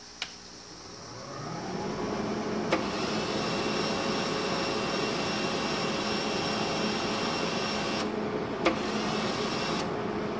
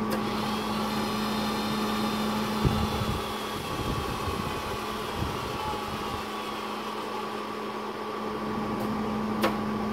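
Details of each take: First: Hobart 135 MIG welder after resoldering a new component from a Hobart PTC1 repair kit: steady feed motor hum building and running evenly without cutting out, some clicks; wire feed now normal. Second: Hobart 135 MIG welder before repair: steady feed motor whine drifting down in pitch as it slows after a few seconds; fixed with a Hobart PTC1 repair kit.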